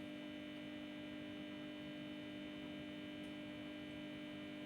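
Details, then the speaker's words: Indalux 250 W discharge lamp with magnetic ballast, warming up: loud steady mains hum with buzzing edge that eases slightly as lamp reaches full output; normal ballast hum. "J'entends le ballast qui a ralenti un peu, son bruit a un peu ralenti."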